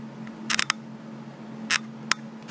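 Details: Week-old Panasonic GF2 camera: short, sharp creaky squeaks as the body is gripped and moved or the video record button pressed, over a faint steady hum; body squeak when handled, being sent in under warranty.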